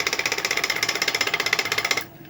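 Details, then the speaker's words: Ceiling fan that sticks and makes a humming, thudding noise while running: rapid even clicking about thirteen a second, then it stops. Loose bearing on a worn, grooved shaft. "आज के video में हम देखने वाले कि सिलिम पंका जो है व चलते चलते अटक जाता है और आवाज करता है गुग जैसा आवाज आता है इसके अंदर से हैमिंग मारता है"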